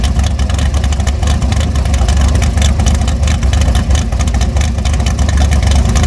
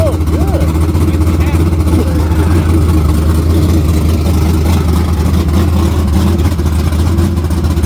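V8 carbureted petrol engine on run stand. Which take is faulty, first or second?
first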